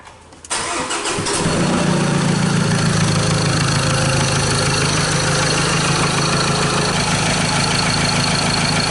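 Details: 2015 Mazda BT50 2.2L diesel, 256,000 km, with hard start, loss of power, a loud knock, P0341 cam and P0671-P0674 glow plug codes; scope on crank, cam and injector. Brief crank, then a steady, slightly uneven clattery idle.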